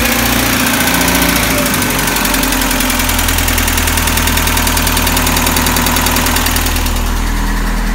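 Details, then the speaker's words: 1965 International Scout 800 after Thrush muffler install, in neutral: steady low rumble settling to an even idle, no ticking or puffing at clamp joints; nice idle groan, exhaust sealed with no leaks. "so it sounds pretty good I don't know if you can tell the video but it's got a nice dump to it like a nice Idol kind of groan it is pretty nice it doesn't have any leaks"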